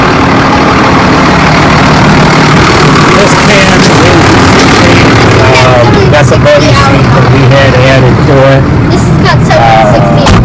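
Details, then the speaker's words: Deep steady diesel rumble settling into even idle, no knocks or misses, on a John Deere tractor with about 16,972 hours, reman engine fitted 7,000 hours ago, used only on the mixer wagon; healthy. "So Junior's going to start it up. Purrs like a kitten, you know, naturally, you know."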